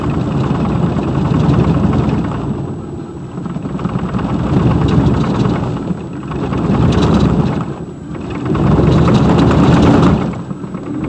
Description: 2002 Silverado 2500HD the center driveshaft support bearing broke while off-roading in the snow. This is what is sounds/feels like.